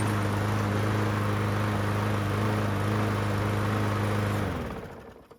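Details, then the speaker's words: Yard Machines walk-behind mower (trade-in) after a new blade was fitted to cure heavy vibration: the small engine runs at a steady, even pace with a clean hum, then winds down smoothly; it runs much better now. "All right, just replace the blade. See how it runs now."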